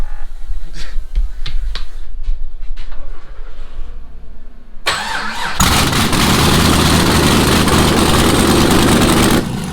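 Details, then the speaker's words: Rally project Camaro started with no exhaust fitted: it cranks, catches and runs extremely loud and raw, barking with sharp popping and shooting fireballs at idle. "that is loud just shooting [Music] Fireballs"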